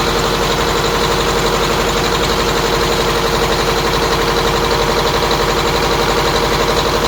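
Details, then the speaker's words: MCI custom coach diesel at idle after battery reinstall: steady idle with constant-pitch high whine from the power steering pump; power steering leak to be found. "power-steering swining on it there is a leak that I need to find in the power-steering"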